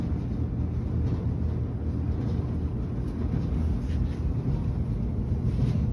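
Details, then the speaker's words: Whirlpool dryer, about two to three years old, after lubricating a bearing that was squeaking: steady low drum rumble with no squeal or chirp; running quietly, normal after the fix. "but as you can see we're all quiet now and we i fixed that for free i didn't have to buy anything for this"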